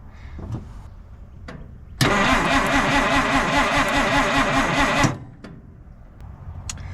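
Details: 1950 Dodge Meadowbrook, hot engine that keeps running out of fuel, fuel line disconnected to check pump output while cranking: three seconds of even starter churning, no firing; crank no-start, fuel pump diaphragm suspected dried out.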